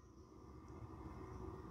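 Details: Gas furnace on a thermostat call for heat (setpoint raised to 77), inducer motor starting before pressure switch proving at -0.30 and hot surface ignition: quiet, smooth low whir with a faint steady tone, no rattles or scraping; normal inducer start.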